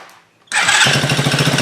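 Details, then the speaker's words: Chinese 50cc Honda-clone kids' ATV after wiring repair and clutch adjustment with added washer: fires first try, quick even putter with no knocks or misses, runs fine; clutch still makes it want to creep, needs more work. "this project is done she runs she fires it's pretty good"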